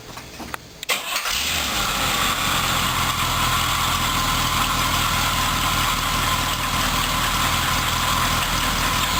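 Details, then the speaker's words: 1976 Corvette V8 project: cranks and catches, settles into steady even idle with no misses, knocks or hunting; runs much smoother than before. "all right as you can see she runs a lot smoother um and you know should just sit there and idle L as long as you want her"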